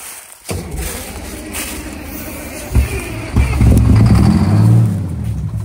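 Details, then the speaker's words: 1989 Grand Villa with two-stroke Detroit diesel, started after sitting: cranks, fires right up and builds into a strong, even two-stroke diesel rumble; healthy start. "away no I had soccer fired right up that sounds good that is just so cool Max listen to that sucker"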